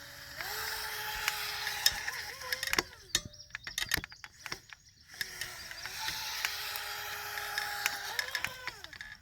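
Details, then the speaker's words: Pro Boat Jet Jam RC jet boat, brushless motor upgrade: motor whine climbs and holds, then surges freely and drops as the jet drive sucks air, cavitates and loses all propulsion; easing off and back on throttle clears it. "sounds like it almost like if it was a normal boat that it broke the propeller but what's going on is it's starting to suck air cavitating and then it loses all propulsion and the motors your sister spinning the impeller"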